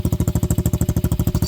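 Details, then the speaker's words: Venom Madix 125 quad with a PZ20 carburetor, running much better after carb work: quick regular idle beats of about eleven a second with a light metallic chatter on each, like something loose vibrating. Owner suspects a loose fitting; cause not confirmed. "She runs actually way better now. It was just running better, but that rattle I don't like. I'm gonna have to figure something out with this."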